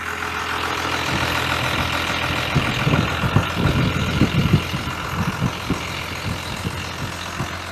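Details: 1993 Dodge W250 with 5.9L Cummins 6BT diesel, manual transmission, idle raised from about 650 rpm to 750–800 rpm: steady, even diesel clatter, no misses or knocks; idle now on spec.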